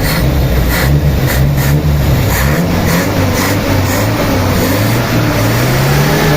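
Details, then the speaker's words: Toyota 4K engine just after a tune-up with valves set to intake 0.08 mm and exhaust 0.10 mm, plus new battery, new filter and cleaned carburetor: a steady, even hum with a smooth firing beat and no ticking or tapping. It is a quiet, healthy idle. "Ayan na mga papa. Grabe, natahimik. Ayan, na-tune up na namin tahimik na ng makina."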